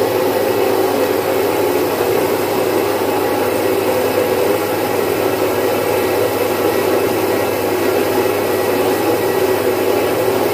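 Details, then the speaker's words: Domestic stone flour mill, single-phase 1 HP, grinding about 5 kg of mung dal in three to four minutes: even grinding rush and steady motor hum with no knocks or surges. Normal running. "मित्रांनो आपण पाहू शकता अतिशय चांगल्या क्वालिटीची डाळ किती fast याच्यावर झालेली"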